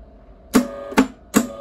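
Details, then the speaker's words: Eland 200 MIG welder, wire not feeding properly: sharp clicks about every 0.4 seconds as the feed roll slips on the wire, still slipping after tightening. "It's turning there, but it's not tight enough, I think. Let's tension that up a bit. It is slipping a bit still."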